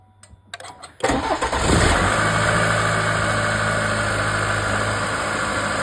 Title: GMC / Chevy 2.7 wastegate actuator loud noise